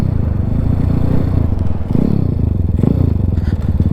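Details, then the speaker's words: Zongshen Z190-engined Honda C50, geared down, on the road: low, rough thumping that stumbles and loses its beat under load, bogging; rider wonders if it is running out of fuel, cause unconfirmed. "It bogging a bit then. Know if we're running out of juice. Let's go back. It's bogging a little bit."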